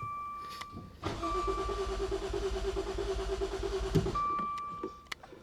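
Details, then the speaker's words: Maserati Ghibli nearly submerged in a Florida hurricane, after water removal and module replacements: chime, then engine catches and runs roughly about three seconds before cutting out; starts then dies, immobilizer/security fault suspected. "I'll bet if you first start it and you got your foot on the throttle she'll rev yeah and then it'll immediately die and if you take your foot off the throttle bet does the exact same thing after about two seconds"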